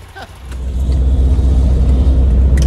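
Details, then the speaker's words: 1966 VW Type 3 Fastback with a new ISP West performance exhaust (header, J-tubes, over-the-top muffler), pulling away: deep, smooth rumble builds evenly with no rattles or leaks; may get louder as it breaks in; healthy exhaust. "but honestly man this exhaust sounds great it might get a little bit louder over time as it breaks in but it sounds really good"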